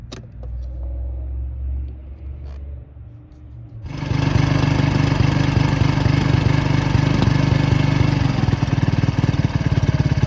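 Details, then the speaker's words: 2010 Polaris Ranger RZR 170, neglected after sitting a few years: cranks and catches, then settles to a steady even idle with no misses or knocks; exhaust smoke is moisture, no burned-oil smell. "that smoke that you see is just like moisture inside the ex aome it doesn't smell like burned oil this thing sound like everyone's good now"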